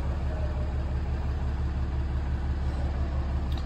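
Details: Ram Cummins 6.7L diesel after turbo actuator replacement for code U010C: even low rumble at steady idle, soft regular beat about three a second, no misses or knocks; check engine light gone, healthy.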